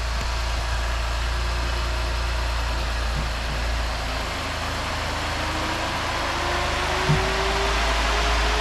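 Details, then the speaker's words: Rebuilt 2022 Chevrolet Blazer after a crash, first start after the motor was reinstalled: fires right up into a steady, even idle with no knocks, ticks or misses under the hiss; engine sounds healthy. "That's a good sign. Yeah, fired right up, eh?"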